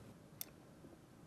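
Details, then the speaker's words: Whirlpool-family dishwasher (Whirlpool, KitchenAid, Maytag, Kenmore, Amana) float assembly inside tub, float lifted by hand: one crisp click in a quiet room as switch releases from actuator arm; float switch working normally. "click is the sound of the switch being released as pressure is taken off of the actuator arm. When setting the float back down, you should hear another click as the switch re-engages."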